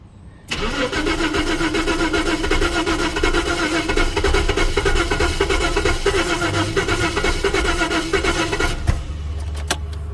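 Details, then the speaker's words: 1988 Jaguar XJ6 (XJ40) after water in the fuel tank, fuel rail primed, still on the old injectors while new ones are on order. The starter cranks steadily at about four turns a second for eight seconds and it never catches. Owner thinks the injectors are stuffed; crank, no start. "better no I think those injectors are stuffed"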